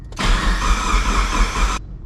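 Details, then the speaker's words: Mitsubishi Evo 4 at 142,000 km, first start attempt: about 1.5 s of steady cranking with no firing, then stops; cranks but won't start, dead cylinder or immobilizer suspected, not confirmed. "No fire. Does kind of sound like a dead cylinder."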